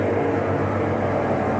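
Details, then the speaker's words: Consul Facilite 11 kg washing machine in spin cycle makes a loud steady droning roar; worn tub bearing and leaking seal (retentor). "ela tá fazendo um barulho muito alto nesse caso esse barulho aqui já é o vazamento da parte do retentor"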